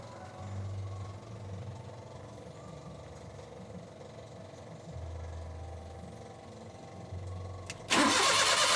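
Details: Suzuki Multicab, F6A carbureted 12-valve engine: starter drones for several seconds before the engine suddenly catches with a loud burst; hard start and long crank, base idle screw adjustment suggested as a possible fix.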